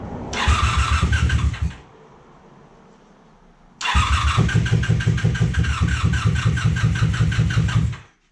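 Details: 1987 Honda Super Magna, sat about 10 years, cranking with the spark plug refitted after spark was confirmed and with PB Blaster in the cylinders: a short burst then about four seconds of steady turnover that never catches. Cranks but won't start.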